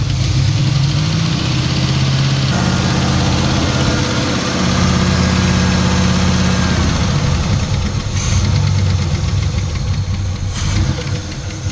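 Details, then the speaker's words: Turbo Trans Am during break-in after partial overhaul (new cam, new turbo, valves set to zero lash). After about 15 minutes, a rough, lumpy idle with a quick irregular tick and misfires. Excess valve play was later found; hydraulic lifter suspected. "So maybe you heard about that or you heard that uh while I was breaking in it started to have some noise on the engine and even had a misfires."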